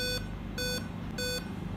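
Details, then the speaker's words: Dell Inspiron 5520 (LA-141P Rev 1.0) laptop at power-on: steady evenly spaced high beeps forming a five-beep POST code, usually an RTC/CMOS battery area fault; CMOS battery and RTC area to be checked. "दोस्तों, आमतौर पर 5 beep की त्रुटि है, यह rtc area है।"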